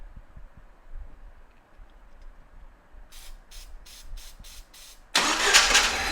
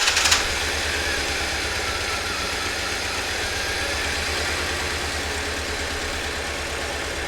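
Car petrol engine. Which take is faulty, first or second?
first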